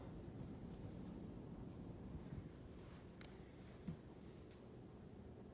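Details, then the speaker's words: Furnace return grille after fixing a reed-effect noise by carefully bending the grille louvers; soft steady rush of air with no reedy buzz or flutter, quiet as a mouse now, normal furnace airflow. "I think it was worth it to get rid of the noise I think the customer will probably agree so you just do it very carefully and not to scratch up the grill maybe one day I'll get me some plastic needlenose to do that with but she as quiet as a mouse now"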